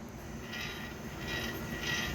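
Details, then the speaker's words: Ford front wheel hub turned by hand with four-wheel drive off (hub freed from CV axle by vacuum line): rough grinding rumble with scraping squeal swelling about every two-thirds of a second; bearings going out, hub assembly likely tearing up too. "Yeah, sounds like the bearings in yours are going out. You hear that noise as I turn? Ooh. Yeah. I suggest your hub assembly's tearing up too."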